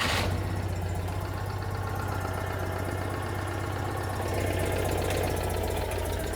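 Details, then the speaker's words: Citroën 2CV idling after refitting a cracked exhaust manifold wrapped in aluminium tape and a hose clamp. Steady, even, low idle with a soft regular pulse and no ticking or puffing. The exhaust sounds sealed for now; the repair's durability is uncertain. "yeah i don't know how long it's going to last but that does appear to be working just checking all the exhaust clamps that sounded all right"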